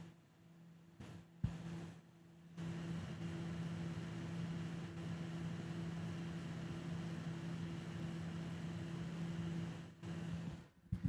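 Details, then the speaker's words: PC in a HYTE Y70 Touch case under stress testing: quiet start, then a steady airy roar and low hum as the case fans truly reach 100%, which NZXT software settings did not achieve. "that's when the fans are actually at 100%"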